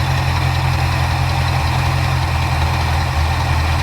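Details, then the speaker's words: 1977 Ford Ranchero GT, 5.8 L 351 Windsor V8 with FMX automatic, after carburetor rebuild, idle mixture screws being adjusted. Deep idle with an uneven, loping beat that surges and sags instead of settling; rough bouncing idle, mixture still needs adjusting. "this right here is actually your idle adjustment which basically pushes back on that throttle pretty simple process actually it's not bad adjust this one a little bit cuz it's still bouncing pretty"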